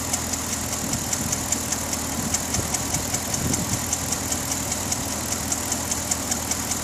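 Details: 2009 Pontiac G8 GT V8 at smooth idle with a light, crisp top-end tick at about two and a half per second; owner asks if it is the known G8 lifter tick, not confirmed.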